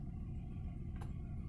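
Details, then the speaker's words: 2012 Hyundai Tucson with check engine light and hard starting idling with a low, uneven, lumpy rumble and visible shaking; code P0301, cylinder one misfire from a failed ignition coil. "and as you can see you can hear the mess and you can feel it if you can really see it it's shaking"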